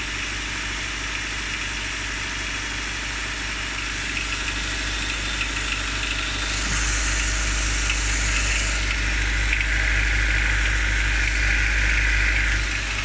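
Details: Honda D15Z6 engine, cold start: even, steady ticking knock, roughly three a second, over the engine hum; it practically disappears after about 30 seconds of running. Cause unknown.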